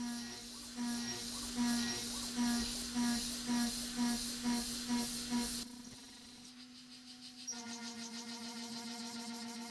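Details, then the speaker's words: AvidCNC Benchtop Pro 2x3 router, S30C spindle, Fogbuster, milling steel at 900 surface feet, 5% stepover; steady spindle hum with even cutting bursts about twice a second, no chatter; acceptable cut. "I think this sounds not too bad and this might be the sort of recipe that I stick with in the future"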